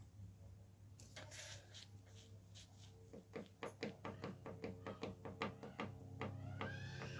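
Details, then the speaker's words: Specialized S-Works M5 FSR full-suspension mountain bike: sharp, loose clicks about two or three a second as the rear end is rocked. The suspension pivot bearing has lots of play and needs replacing. "Yeah, well you can definitely hear it, look. Yeah, so that's got loads of play. So that one, the bearing in there definitely needs doing."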